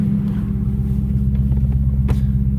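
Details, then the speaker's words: Copart wrecked Dodge Challenger, rollover with front passenger-side damage, running after sitting overnight and sounding quieter; injectors ticking, plus a steady low groan from the front accessories, owner suspects a dry water pump lacking coolant and possibly the power steering pump. "that no water pump's dry doesn't have water hear it kind of groaning it's begging for water and the higher steering pump's probably growing too"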